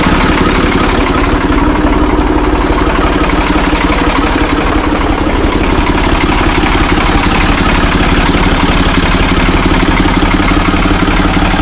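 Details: Ford 445 diesel tractor, thought to be a 1970s model, bought at online auction: steady, even diesel clatter at about three beats a second with no misses or odd knocks; it starts and runs well, idling healthily.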